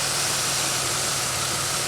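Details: 2003 Pontiac Grand Am after the intake gasket job and the misfire repair, warm, having run for a while: an even, steady low idle hum under hiss with no stumble or miss; the check-engine light has not returned.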